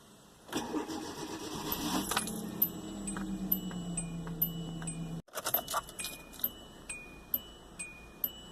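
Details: 2009 Hyundai Accent, recurring hard start: steady starter whir drags on for about five seconds before cutting out, followed by light ticking; long-crank hard starting.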